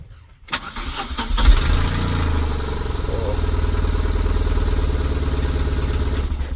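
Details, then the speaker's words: Tata Nano with about 100,000 km, long morning starting and code P0336, after crankshaft position sensor replacement: short crank, catches straight away, settles into steady, even idle; starts cleanly now. "എന്നുള്ളത് ഒറ്റയടിക്ക് തന്നെ start ആയിട്ടുണ്ട്"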